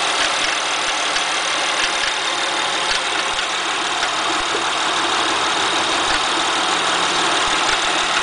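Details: Acura TL idling: hissy, ticking overlay with faint irregular taps about twice a second from the engine bay; unusual noise, cause unknown.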